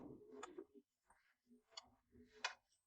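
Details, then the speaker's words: Kroak TB2 diesel heater in a case, 12 V, starting up with an empty fuel line after glow-plug preheating: crisp single ticks about once a second as the diesel dosing pump clicks. Normal pump clicking. "The fan starts up slowly. When I touch the device I notice that the auxiliary heater in the box is decoupled. At least that's how it feels. You can hear the clicking, but you can't feel it."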